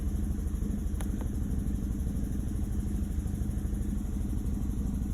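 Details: Chevrolet Malibu with P0300 code: uneven, stumbling low idle thump about three beats a second that never settles; compression passed at 180 psi, data showed cylinders 2 and 3 misfiring, faulty coil pack replaced and running good.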